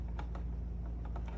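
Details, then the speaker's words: Mercedes W211 electronic ignition switch on the bench with emulator: sharp, uneven clicks, about eight in under two seconds over a low hum, as it locks and unlocks repeatedly on key insertion; faulty EIS causing intermittent starts, replacement recommended. "So sometimes he gets a start, sometimes he doesn't and that is a faulty EIS."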